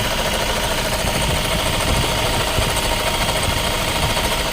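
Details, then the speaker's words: 2016 Toyota Fortuner idling with a steady rough grinding hiss and a faint constant tone that sounds like the engine but comes from a badly worn alternator bearing, later replaced. "Fortuner 2016 ito yung alternator pag tunog ganyan alternator yan 100% yan"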